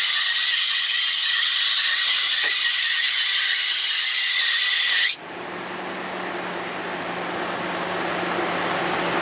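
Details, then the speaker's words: 2015 Toyota Tundra V8 cold start after new water pump, belt replaced three times and new tensioner: harsh high screech about five seconds, then quiet engine hum with a remaining chirp; severe belt slip from a misrouted serpentine belt. "so it certainly sounds like severe belt slip and it lasted for about you know 10 15 seconds and you heard the fan kind of kick in and then the slip um you know mostly went away but there's still a chirp"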